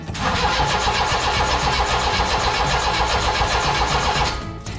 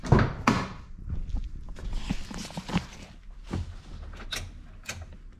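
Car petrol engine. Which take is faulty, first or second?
first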